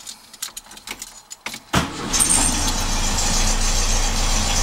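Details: 1967 Beetle after a pinched starter signal wire was repaired with a new connector and heat shrink: a few clicks and rattles, then the engine catches at once and settles into a steady, even idle. It starts and runs normally.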